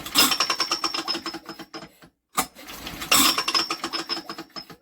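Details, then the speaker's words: Old BSA 50cc engine, unused for years, spun over during a spark check: fast tinny ticking rattle in two bursts as the flywheel catches on its cowling tinwork. "well that's got a rattle when you run on the engine yeah what the hell was that"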